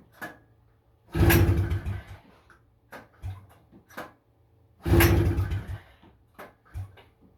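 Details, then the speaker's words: 1977 FL250 ATV, pull-start, throttle zip-tied, choke on: two rough pulls, each with a brief bark, then it dies; the rusted carburetor is thought cooked, with broken parts, so no start. "Oh, she tried. She tried there. Well, I see why they install electric kits on this. Polestar even gets tired after a while."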